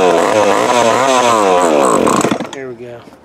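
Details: Old Remington Mighty Mite Deluxe MMD3 two-stroke chainsaw, long stored in shed, fresh fuel: fires and revs up and down with buzzy wavering pitch for about two seconds, then dies; it runs.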